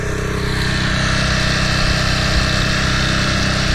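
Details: 2010 Toro Recycler Personal Pace 20333 mower with Spin Stop blade engagement, previous owner's botched carburetor repair: steady high-pitched fast-revving drone that never settles to a governed speed; overspeeding, owner suspects missing governor fan spring, not confirmed.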